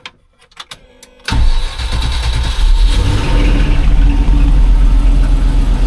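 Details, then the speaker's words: 1989 Range Rover Vogue SE V8 after broken exhaust manifold studs were repaired and the head removed and refitted: short crank, catches at once, settles to a steady low idle with no ticking or exhaust blow; alternator belt shredded, alternator light on. "say started up, no blowing exhaust."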